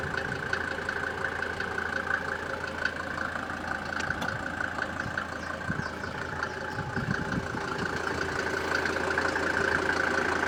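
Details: Mercedes SLS petrol engine idles with a faint, fairly regular knock, about three a second, over the steady hum; cause unknown.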